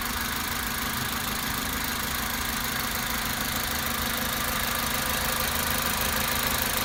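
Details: Toyota Avensis 1.8 at idle after adjusting enlarged exhaust valve clearances (0.60 and 0.40 mm) with thicker tappets: steady even idle, smooth hum, top-end ticking much quieter, practically gone.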